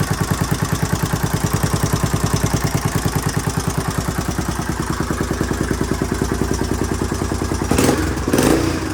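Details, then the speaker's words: 1981 Honda XL500S single-cylinder, first stone-cold start after fuel tank patch, oil change and air filter, on a makeshift fuel tank: steady, strong thump about 200 beats a minute, brief blip near end; owner hears a possible leak, carburetor not leaking. "sounds pretty good might have a leak somewhere in here i can kind of hear it"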